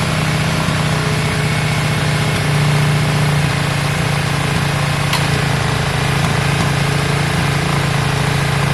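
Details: Yamaha Virago V-twin after carb work, just started with choke on: an even, lumpy twin beat held at a raised choke idle, with no knocks or misses. It doesn't sound too bad; runs fine.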